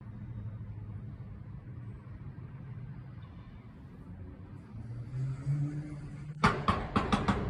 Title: That knocking sound though? 😳 #fyp #greatyarmouth